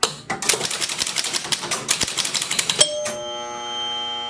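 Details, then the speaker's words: 1976 Bally Flip Flop pinball, first game start after cleaning and reassembly: a fast burst of sharp relay clacks settles into a lingering ringing buzz; a noisy 100-point relay hanging up, suspected from a playfield switch fouled by old rubbers. "well shoot we do have a noisy relay see if we can locate it real quick"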